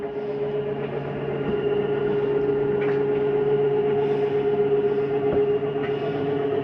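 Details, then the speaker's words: 2022 Jayco Jay Flight 34RSBS travel trailer, bedroom slide-out retracting: steady motor drone with a low hum and faint repeating clicks as it reaches full retraction. The mechanism is stopping itself; normal end-of-travel noise. "I wanted you to hear that noise. That is just the slide mechanism telling itself not to come in any further."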